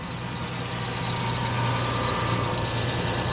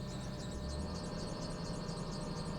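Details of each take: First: Lexus LS430 idling after coil work, now running much better with no check-engine light and low fuel: fast steady high-pitched chirping squeak, about four per second, from pulleys or belt; cause suspected, not confirmed. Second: Lexus LS430 V8 after ignition coil work, with no check engine light and low fuel, idles evenly just after start-up, a steady low hum with no misses or stumbles; a squeak is also present.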